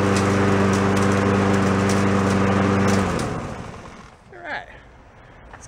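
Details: Free yard-sale lawn mower labelled oil leak, head gasket, still runs: even steady putter from the small engine for three seconds, then winds down cleanly at shutoff; normal running.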